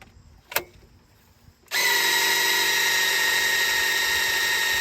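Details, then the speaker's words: Fresh-built 1970 Ford Falcon 302 small-block Ford before first start: a drill on the distributor shaft primes the oil pump, spinning up to a steady high whine that strains harder as oil pressure builds. "here it's fighting right now it's fighting a ton of oil pressure"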